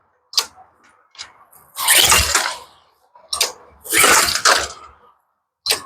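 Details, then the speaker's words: Neighbor's pressure washer with lots of old gas in the carburetor, full choke plus starter fluid; rasping recoil pulls with short pops, engine never catches, getting no gas except what was sprayed; no-start from fuel starvation. "no you can see it's not getting any gas at all except for what we just sprayed"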